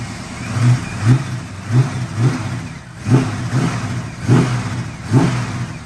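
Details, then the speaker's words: 1974 AMC Hornet after starter replacement, electrical issue from relay to fuel pump noted: engine blips up and settles back to a smooth, even idle, no knocks or misses; normal running. "but the car runs it runs beautifully it really really does there's no issues as you can hear it's still running"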